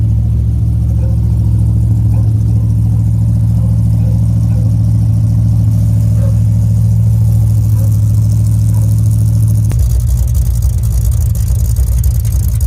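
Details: 1963 Ford F100 Y-block V8 with newly installed Holley 2300 carburetor, Patriot headers and Cherry Bomb mufflers, radiator not yet fitted: deep, even idle burble with steady low rumble, then a throttle blip; normal idle and revving.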